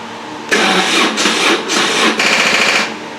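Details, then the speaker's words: 2002 BMW R1150RT motorcycle being recommissioned, first start attempt after fuel pump/filter work: starter churns in four sluggish surges over about two seconds and never fires; slow cranking from a dead battery. "of course the battery is going to be dead now"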